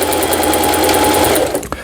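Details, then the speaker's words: Singer 4432 sewing machine after repair (was noisy from new with parts knocking, overlock stitch failing): stitch pattern test, fast even needle chatter at steady speed, no grinding or catching; runs smoothly and healthy. "네, 각종 기능들 네, 수리가 잘 되었습니다."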